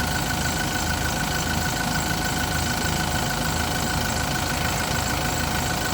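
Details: Yale diesel forklift that had cranked but not started, running about five seconds then dying, now after repair holds a steady, even idle with a constant mechanical hum and no misses or knocks; running normally.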